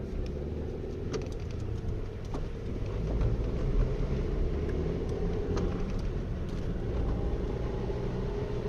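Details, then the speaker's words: Studded winter tyres drone loudly on the highway: a steady low rumble building with speed on dry road, like a plane taking off. On snow and ice the tyres are fine; the noise is the complaint. "но ребят по трассе ехать вообще не реально такое ощущение что ты нам взлет идешь так губит ребят"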